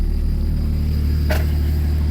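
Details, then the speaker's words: BMW 535xi E61 first start after installing a Walbro stage 3 low-pressure fuel pump and pressure regulator, primed: steady, even low idle hum with no surging or misses, one brief click, no leaks; smooth healthy idle. "Well, that's good. It sounds good. Flowing some pumps. No leaks, though, nothing. Which is all good."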